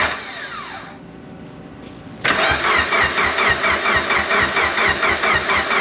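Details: Engine starting after almost 10 years of storage and 2 years of work: short crank, then it catches and settles into a steady, even idle with a regular beat; normal start and idle, later backed out under its own power.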